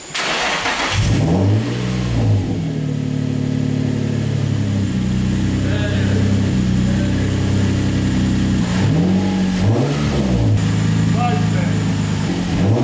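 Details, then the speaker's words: Turbo Nissan 350Z with newly finished custom exhaust, wastegate just refitted: free revs blip up and back cleanly over steady idle, turbo flutter audible, no leak hiss or hesitation; sounds much better, healthy. "I thought the exhaust was just cooked, but that sounds a lot better. And I could finally hear some turbo flutter from just free revs."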